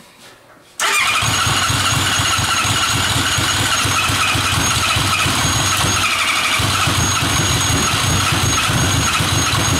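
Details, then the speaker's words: Engine, just restarted after fuel starvation, catches and revs hard; the turbo spools with a thin high whistle and grainy growl, suspected worn turbo bearing, possibly on the exhaust side; cause unconfirmed. "that turbo sounds like it's got a little bit of wear on the bearing mhm you heard that sounded a little grow"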